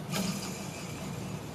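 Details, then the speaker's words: 1996 Grizzly G1023 3 HP 220VAC cabinet table saw motor, spun by hand: a low, gritty rumble, not grinding but not smooth. The likely original 6203Z/6205Z bearings are rough, and the motor was caked with sawdust. Bearings to be replaced. "they're not grinding, but they're definitely not smooth. So I'm going to replace the bearings in this motor."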